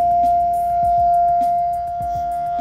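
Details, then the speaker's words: Condensing boiler at low fire: loud steady pure tone around 700 Hz over the burner roar, a combustion harmonic from an over-rich low-fire setting. "so this happens to be a 2mm Allen going to put that in there and try to get rid of that harmonic"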